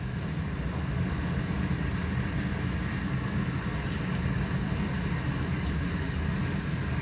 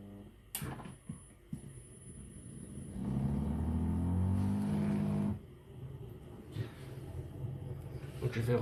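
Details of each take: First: Siemens dishwasher with error E25, after the drain pump was refitted: steady low hum with even water rush, no grinding, rattling or surging, and no leak under the pump; correctly mounted, running normally. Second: Siemens dishwasher with error E25, drain pump tested before reassembly for leaks: low steady pump hum for a couple of seconds with no sound of water coming in; the supply appears cut off somewhere, and the tap later seemed faulty.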